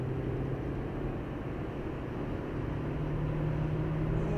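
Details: 2015 Hyundai i20 test drive at speed after replacing brake pads and discs on both sides: smooth even low road rumble, earlier shudder above 120 km/h and wheel bearing noise gone; running clean.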